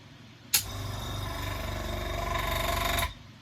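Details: Compressor used for noise comparison against a new Gaahleri Apex Force ultra silent unit: harsh, fast mechanical clatter over a loud buzzing run that starts and stops abruptly; noisy, worn-sounding, cause not confirmed.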